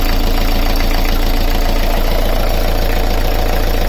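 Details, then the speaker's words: Beta Marine 38 narrowboat diesel idling after the alternator belt was removed to trace a tapping/rattle; steady smooth thrum with no noise whatsoever, so the tapping is gone with the belt off. Alternator bearing felt fine. "Let's fire it up and have a listen. There's no noise whatsoever. There's no noise. It's so smooth."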